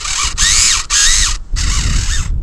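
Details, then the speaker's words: Tamiya MF-01X RC car on a speed run at about 34 mph gives bursts of high motor whine with a harsh rasping grind that cuts in and out after earlier crash repairs; a gear shredded. "oh that didn't sound good did it I think uh I think I shredded a gear"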